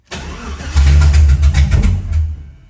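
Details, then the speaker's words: Blown 2008 Tahoe 5.3 junkyard engine in an LS-swapped 1969 GTO: it catches, surges unevenly in lumpy pulses for about a second, then sags away; weak start, low compression, needs pumping the pedal like a carb. "oh you know it's bad oh no you know it's low on compression when you got to Pump It Like It's carb she's not happy brother"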